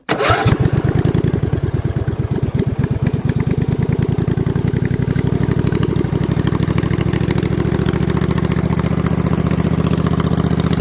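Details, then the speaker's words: Freshly assembled snow mower engine on first start with slip-on mufflers over the exhaust tubes, before a planned 2-into-1 3-inch pipe; catches at once, loud, steady even beat, a little louder now; normal running. "So it's a little bit louder now."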